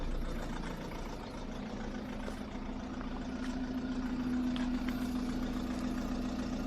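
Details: 2010 VW Golf 1.6 TDI with DSG on a cold start: a steady drone with a slightly uneven, lumpy beat as it settles into idle, rough cold idle, cause unknown.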